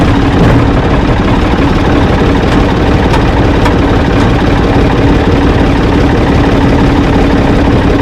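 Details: Ford 445 diesel tractor, owner thinks a 1970s model, restarted with owner aboard: deep, steady idle with even chug, no knocks or misfires; engine runs fine, though drive in forward and reverse quit, owner suspects linkage.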